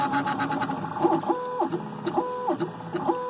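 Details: Fully upgraded 3030 3D printer with Haribo, Drylin bearings, Noctua fan and TPU stepper dampeners, printing PLA: soft musical stepper tones rising and falling, no knocking or grinding; normal quiet printing.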